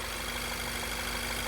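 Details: VW GTI sixth-gen 4-cylinder EA888, just after timing chain replacement with new dual-link chains, guides and timing covers: steady idle with a light, even hum and no chain rattle or tapping; the engine is idling normally.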